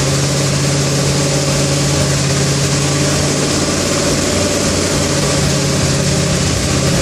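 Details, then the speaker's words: Engine with a coolant leak that won't idle, with the idle turned all the way up: it runs rough with a busy metallic clatter. The owner says it almost sounds like an exhaust leak; cause uncertain. "still it's it's running rough it's got a little bit of that clatter I don't know if you could hear it in the video but it's got some sort of a clatter to it"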